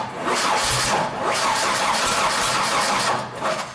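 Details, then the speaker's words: 2000 Genie S60 4WD boom lift, sitting for years, cranked 3–5 seconds: steady cranking with scattered firing bursts that never catch, sounding like a timing problem; diagnosed as a bad crankshaft position sensor. "Okay, very interesting. We almost got there. You could hear it was almost like a timing problem."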